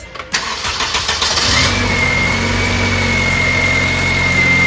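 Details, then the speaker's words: 2006 Honda Civic after replacing the alternator with a remanufactured unit and refitting the belt: short crank, catches at once and settles to a smooth, even idle with a faint steady belt whine, no squeal; charging 14.3 V. Normal start and idle. "all right back inside the car now it's still running let's see how many volts we got check that out 14.3 we're back up and running"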